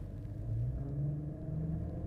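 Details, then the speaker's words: 2008 Mercedes SL550, warmed up, accelerating against the brake near 2000 rpm: deep wavering grinding growl with vibration felt through the car, gone at higher revs; failing power steering pump damper, fluid level okay. "So I'm accelerating and holding the brake and you can hear it and you can feel that vibration."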